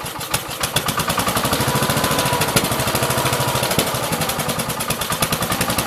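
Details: 1969 Gravely 432 with a rebuilt K321 14 hp single-cylinder engine and a new piston, running for about half an hour. Steady, even beat with no knock or tapping between firings; healthy normal running. The owner suspects a weak fuel pump is causing poor fuel flow.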